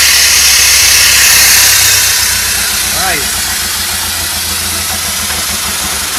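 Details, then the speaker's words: Pontiac Fiero sitting 30 years, just fired up after fuel pump and tank replacement: uneven idle at roughly two pulses a second under heavy hiss, backfiring; owner suspects missing vacuum caps, not confirmed. "nice working guys little rough but it's working woo well it's not running great but it's running"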